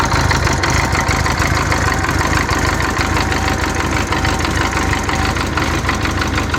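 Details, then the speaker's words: 1984 Honda Goldwing Aspencade flat-four, restored, idling cold without warm-up: steady, even quick smooth beat, no misses or knocks; healthy. "okay so here's there's the bike running it's cold i haven't warmed it up at all"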